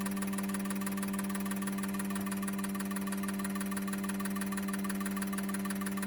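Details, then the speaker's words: Injectors from a 2002 GM 6.0L LS drive-by-cable engine (likely pickup-bound) all firing on a machine; quick, even ticking over a steady machine hum, no gaps or stumbles. Camera frame rate likely only makes it look like misfiring. Normal injector firing. "So here you can see all the injectors firing. It's hard to get the resolution on camera of how well the spray pattern is, but I'll try and get you guys in."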